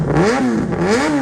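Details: Yamaha R1 with loud race-fit exhaust, long stored, new battery, mouse damage repaired: two quick throttle blips, pitch climbing and falling cleanly; engine revs freely and healthily.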